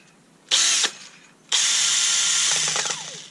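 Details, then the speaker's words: Kielder 18V brushless drill that intermittently stops working, run at highest speed: two bursts of high whine, second with uneven loose rattle on wind-down; internal rattle, something loose inside suspected, possibly factory assembly fault. "he something's uh rattling around so yes there's a a f somewhere strange fault seems to come and go and sound rather strange"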